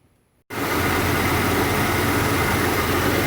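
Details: Jeep XJ after dead battery drained by dome lights from an unclosed hatch: engine catches instantly and settles into a steady, even idle with no misses or knocks; healthy normal idle.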